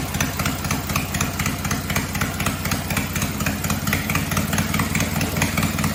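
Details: Cub Cadet 482 tractor after an engine swap to a 12.5 hp opposed-twin Briggs, with the carb rebuilt, running with no muffler: loud, crisp, even exhaust popping at a steady speed with no misses. Healthy normal running, just loud.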